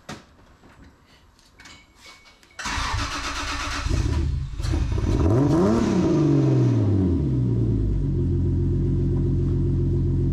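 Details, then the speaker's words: 2JZ engine swapped into an MK3, first start, untuned and without boost: it cranks, catches, then sputters and flutters on the first throttle before a lumpy idle; it definitely needs a tune. "as soon as you gave it a little bit of gas like the first little bit of throttle it just started to sputter and then it would just give the gas that was just [ __ ] it needs uh definitely needs a tune"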